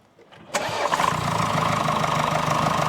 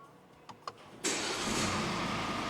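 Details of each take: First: 2020 Mercedes GLE W167 2.0-litre bi-turbo, 245 hp, about 175,000–185,000 km: quick idle with a sharp puffing tick of exhaust gas escaping under the exhaust manifold gasket at cylinder one, soot visible; fix requires engine removal. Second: Mercedes GLE W167, 245 hp, 174,000 km, after engine removal and exhaust manifold gasket repair for blow-by, fresh oil and fuel additive: faint clicks, immediate start, even steady run with no whistle or squeak; normal start and idle.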